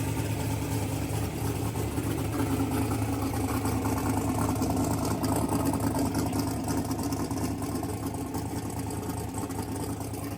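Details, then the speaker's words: Mississippi Queen V8 first start after the AWD build, fresh fluids, oil and plugs, and a splice on a pulled CDI 600 wire, timing not yet verified: smooth, even idle with a steady low beat, no knocks or misses; good oil pressure. "and it's literally a plane this big idle. That's because the exhaust pipe's so dang hot. Well, she runs. Got good oil pressure."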